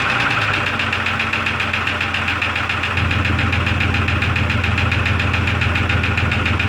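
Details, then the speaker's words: 2002 Jeep Grand Cherokee Laredo at idle after topping up engine oil: quick, fairly even ticking about three to four per second over the engine, persisting; cause unknown, owner considers a teardown. "now i got to figure out the knocking of ticking sound in the engine that's what i'm trying to do now"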